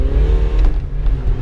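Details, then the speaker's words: BMW 120d diesel test drive after replacing the engine mount, which had caused rocking and vibration at low revs under load; smooth pull, low steady drone, no clunks, rattles or shudder; engine now sits firmly. "and it say working well no rattles no wobbles nice and tight car drives really well so yeah we're quite happy with it"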